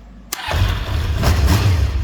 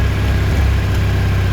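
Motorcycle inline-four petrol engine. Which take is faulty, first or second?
second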